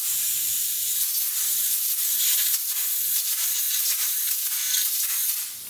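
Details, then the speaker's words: Road bike tubeless tire just seated with an air compressor, no sealant yet: continuous high, airy hiss of air escaping mostly through the valve, which is normal; closing the valve stops the leak. "Okay, so this tire is seated. Obviously you can, well, maybe you can't hear it, but it's losing air, which is perfectly normal because there is no sealant inside. But mostly it's losing air through the valve."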